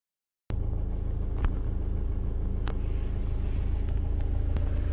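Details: 2018 BMW X1 xDrive18d (F48) diesel, 80,000 km, idling with a low, dull knock repeating a few times a second from the engine bottom end, sudden onset; diagnosed broken piston, cause unknown.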